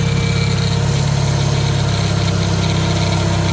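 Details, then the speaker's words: Jetta idling after the battery light came on following a hard pull: steady smooth low drone, no belt squeal or slap, tensioner pulley has less play; runs fine. "but i actually got into one where it's like a a teardrop looking shape but it seems like it's running fine yeah the tensioner definitely has less play for the pulley sorry uh"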